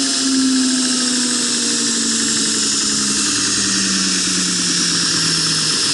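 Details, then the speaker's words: Prototype center-tracking assembly, steel wheel on a shoulder-bolt axle, first high-speed run. High whine and hiss whose low tone sags as the wheel drags; the wheel heated, expanded and stopped moving. "all right so the wheel heated and expanded and then stopped moving so i need to get that fixed out fixed up i have to do a redesign on the wheel"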